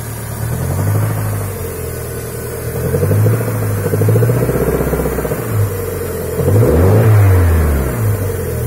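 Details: Toyota Sera with 5E-FHE petrol engine rising and falling in revs, with a dull knocking through idle and revs. Engine knock, cause not confirmed.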